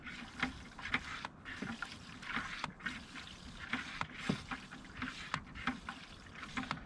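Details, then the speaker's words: 1999 Arctic Cat ZR500 snowmobile, water being pumped out of the fuel tank: even rhythmic pump strokes about twice a second with water sloshing through; the transfer pump is drawing steadily and working fine. "I have to say this pump was working pretty damn nice"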